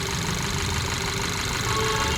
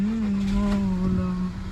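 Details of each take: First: Skoda Superb petrol at idle with codes P0303 cylinder 3 misfire and P0352/P0353 ignition coil B/C circuit: uneven, stumbling, loping idle over steady engine hum, much worse with AC on; engine misfire. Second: Skoda Superb petrol after replacing faulty ignition coil (earlier P0303 misfire, P0352/P0353 coil codes): steady, even idle with constant low hum, no missing at all, running smooth on all cylinders.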